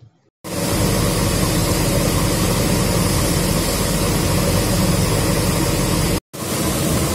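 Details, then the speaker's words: Induced-draft fan in a chemical plant sulfur dioxide unit, corroded suction duct replaced with FRP work, noise reduced but persisting: constant heavy rushing roar with a low rumble and no tonal whine; vibration analysis shows flow-induced vibration. "In this study you can see raised noise flow due to flow induced vibration in 50 spectrum. These kind of problems will appear whenever there is a flow obstructions caused by various reasons like dampers, suction discharge, duct issues."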